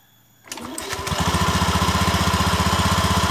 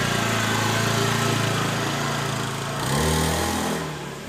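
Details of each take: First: Honda Beat eSP scooter, CVT cover open, engine running with slight throttle: a rough rattling chatter from the clutch bell when pulling away, gone once moving; the centrifugal clutch shoe linings are worn down to nothing and drag on the bell. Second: Honda Beat eSP scooter after replacing the worn-out CVT clutch shoes that caused a clunking at pull-away: steady single-cylinder drone rising smoothly on takeoff with no clunking or rattle; clutch engages cleanly, normal takeoff.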